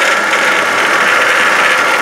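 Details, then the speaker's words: 2012 Hyundai Santa Fe idling, heard from the right front with the wheel and splash guard removed: steady, rough, hissy whir from a worn pulley bearing (idler or tensioner suspected). It is a little loud at idle and considerably louder when driving. "at idle it sounds a little loud but when you're driving it's considerably louder"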